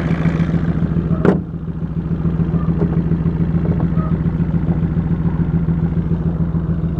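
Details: 2003 VW Jetta 1.8 turbo, 174,821 miles, codes P0341 camshaft position sensor and P0011 camshaft angle: uneven, shaky idle with a lumpy low beat and one sharp clunk early on, worse on the road; owner suspects cam position sensor. Rough idle.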